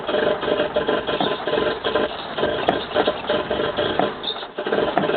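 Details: 1985 Toyota Corolla after carburettor problems: rhythmic starter churning on and off without catching; hard start, owner suspects choke not on, eventually runs.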